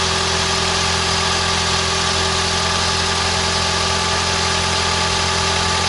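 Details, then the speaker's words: 2011 Toyota Camry Hybrid 2.4L 4-cylinder at idle after a spark plug change during white-smoke-on-startup diagnosis: even, smooth low drone with no rattles, ticks or misses and no check engine light; engine sounds healthy. "what do you think guys sounds pretty smooth foreign works fine no rattling no extra noises sounds good no check engine light or anything like that"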